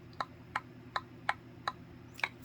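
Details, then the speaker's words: Bowflex SelectTech 552/1090 dumbbell handle rocked in its assembly: crisp, evenly spaced clicks about every 0.4 seconds. One handle end fits very loosely in its seat while the other fits tightly. The fix is wrapping electrical tape on the grip end. "so in some cases you get quite a bit of movement and when you're working out you can hear it and you can feel it now let's look at two that one's really loose"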